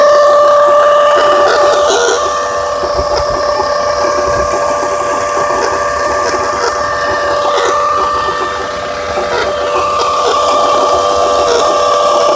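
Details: 2003 Vue 3.0 AWD engine running with a bad water pump: steady high whine over the engine with faint quick chirping, water pump bearing noise; timing belt replacement planned.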